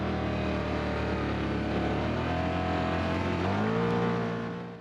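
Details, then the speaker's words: Can-Am Outlander Gen 3 XMR start, possibly without pre-priming the fuel pump, which adds a second or so for fuel to reach the throttle body: engine catches and settles to a steady even idle, no misses or knocks; starts every time. "Starts every single time. It might take 1 second longer and that's it."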